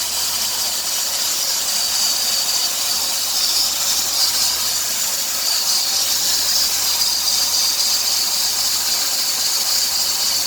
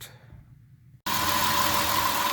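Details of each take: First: 2003 Dodge Grand Caravan 3.3, 372,528 miles: steady high-pitched hiss and chirp on acceleration, worse toward 2000 rpm; idler, tensioner and power steering pump replaced without fix, worn serpentine belt was the cause. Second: 2003 Dodge Grand Caravan 3.3 with 372,528 miles runs with a steady, even rush and faint tone after a new quiet-technology belt is fitted; the hissing and chirping on acceleration is gone, and the belt was the cause.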